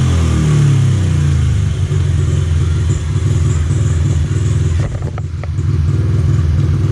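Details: 2003 Honda XR50 (CRF50F) automatic-clutch single running after an adjustment (previously almost wheelied in first gear); low, steady pulse about four beats a second, even, no rattles: normal running.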